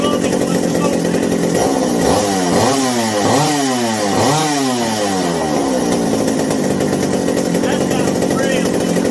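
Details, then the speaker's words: McCulloch 790 chainsaw after new 090 carburetor, replacement spark plug and idle turned down: snaps up through quick blips and drops back to steady idle; responds crisply, runs as it should despite binding throttle linkage. "But if you couldn't hear me yell and I was saying, yeah, it was just, it sounds real good now, exactly as it should."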